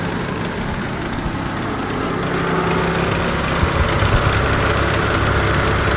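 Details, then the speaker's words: LN3 3800 V6 (1988–91) on ramps, idling after the AC is switched on: light rapid clacking that seems to come from a pulley, with extra vibration under AC load. Worn harmonic balancer; the noise appeared overnight, only at idle with AC on. "But can you hear the clacking? It sounds like it's coming from one of our pulleys here, and with the AC there's extra vibration and whatnot."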